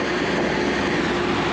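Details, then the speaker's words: 1970 Corvette C3 V8 just after a new Edelbrock carburetor install: it started by accident while cranking to fill the fuel filter and now idles steady, smooth and even with no stumbles or misfires. "While I was cranking it, she just started right up and ran nice and smooth. Yeah, she's running smoothly."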